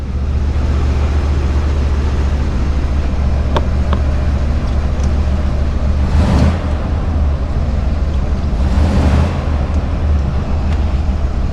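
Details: First-gen Dodge Ram 350 crew cab V8 just started and idling; deep, even burble, steady and smooth with no miss or knock, so the engine runs healthy.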